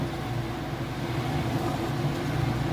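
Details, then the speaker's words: Whirlpool top-load washer in final high-speed spin after rinse: steady low drone with even hum, no knocking, thumping or bearing growl; smooth healthy operation. "it's doing the last little bit of rinse also you can see it's got a nice smooth operation it sounds great"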